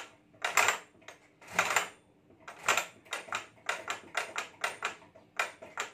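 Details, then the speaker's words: Stitching machine running, same noise when starting and stopping: irregular sharp clatters about one a second then quicker, little motor hum; something loose knocking inside, to be opened and inspected. "तो अंदर से ऐसी कुछ आवाज आ रही है अब मैं खोल के देखूंगा क्या प्रॉब्लम है उसमें कुछ मिस्टेक आ गई है"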